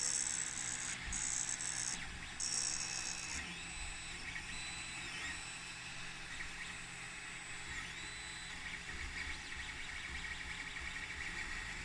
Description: In this short video you can hear rattle/grindy sound in hotend. Something that I can't resolve.